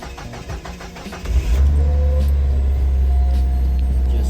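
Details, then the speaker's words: 2001 Mazda Miata NB2 with crank-no-start, after installing a new fuel pump, primed only by cranking: about a second of even cranking, then it catches cleanly and settles into a smooth, steady idle; starts like a dream. "that, turns on like a dream."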